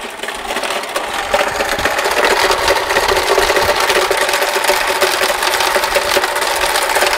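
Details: Engine noise that began after a trip yesterday and was much louder at this morning's start in the garage: fast, fairly irregular ticking at about four per second rides over a steady idle. The origin of the knock or tick is unknown.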